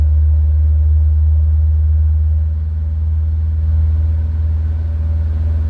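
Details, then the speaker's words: Snowbound car, cold, started with a shot of starting fluid; hard cold starting blamed on original carburetor with water-heated choke: deep, even idle with no knocks, oil pressure over 60 psi, charging 14 volts. Normal idle. "Oh boy, this thing runs smooth too. Oil pressure's flying."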